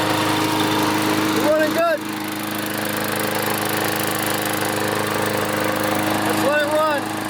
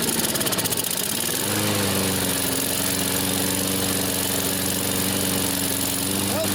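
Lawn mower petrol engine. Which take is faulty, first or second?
second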